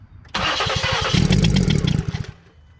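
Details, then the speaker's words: 2015 Ford Explorer 3.5 V6: starter turns the engine over at a sluggish, uneven beat for about two seconds without catching; slow crank. "all right it's slow start it up"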